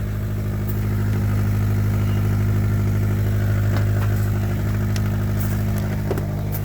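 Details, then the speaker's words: 2004 Honda Element EX petrol engine idling with a deep rumble and faint puffing tick from an exhaust leak at the flange right behind the catalytic converter, where an aftermarket donut gasket had been fitted. "pretty sure you can hear it it does have a exhaust leak [Laughter] it is at the flange right behind the catalytic converter"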